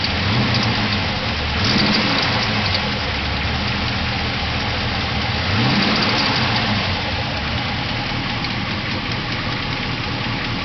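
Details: New stroker 416/LS3 short block V8 that has been breaking YT 1.7 rocker arms: a light, fast ticking heard while driving, only with throttle applied, rising with revs. Valve cover pulled with no broken rockers found; owner suspects a bad lifter.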